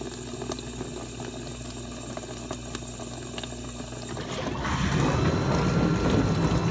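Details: Dishwasher test run after water inlet valve repair/replacement: quiet hum then steady rushing splash filling the plastic tub, no sputter or hammering, no drips; fill normal.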